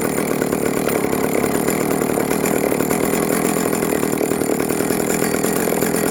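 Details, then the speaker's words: Vintage Jonsereds 70E two-stroke chainsaw, first run after major cleaning and fitting an unknown cooling fan; smoking from oil put down the cylinder; steady high-pitched buzz held without surging or misfiring. Normal running. "look at that she's a runner she's smoking because I put some oil down the cylinder when I first got it wow that is awesome she is a runner"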